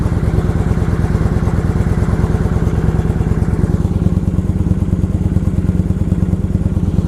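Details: Kawasaki Vulcan 900 V-twin idling just after first start following gas tank reinstall, left to sit to see if it dies: quick even low-pitched pulses, steady without stumbling or dying; normal healthy idle.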